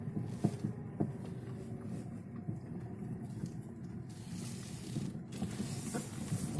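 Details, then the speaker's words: Lada Vesta driven over uneven road: sharp irregular knocks from the front suspension over rough-road rumble; dealer diagnosed worn left anti-roll bar link and the anti-roll bar itself, both then replaced. "вот хотел продемонстрировать как у меня вот передок сейчас начал бить сейчас вот поеду парка такой неровной дороге слушайте"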